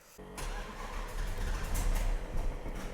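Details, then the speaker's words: Hemi-powered wrecked race-car Plymouth Superbird with modern components: brief cranking, V8 catches and runs rough and lumpy without settling to steady idle; reluctant, erratic starter, cause unconfirmed; loud vacuum pump, likely for headlights, under hood. "let's start this thing up and see if it will idle today or start uh it's kind of got a mind of its own on that"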